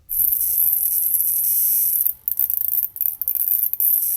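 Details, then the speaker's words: Raspberry Pi PoE+ HAT on a Pi, powered over USB-C rather than Ethernet, with a hard drive plugged in: a piercing, steady high-pitched whine with brief dropouts, suspected coil whine from the HAT's power board and not investigated further. "hopefully this coil wine or whatever it is doesn't indicate a deeper issue i haven't really had time to dig in too deep but it's really unpleasant to hear it in person"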